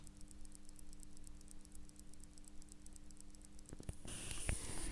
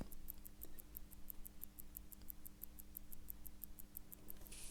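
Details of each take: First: Seiko 6139A chronograph, balance with no amplitude: faint, very rapid ticking about four beats a second, then handling noise; balance racing because the hairspring coils are sticking, fixed in the repair. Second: A Seiko 6139A chronograph watch, after its sticking hairspring coils were freed, gives crisp, even ticks at about six per second, now running properly.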